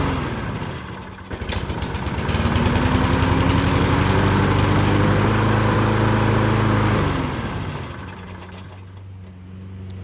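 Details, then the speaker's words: Lawn Boy push mower that previously wouldn't shut off, after carb clean and flywheel brake repair: fires, settles to a steady even run, then winds down smoothly and stops on cue; runs and shuts off normally. "so there you go tried it a couple times it seems to work good"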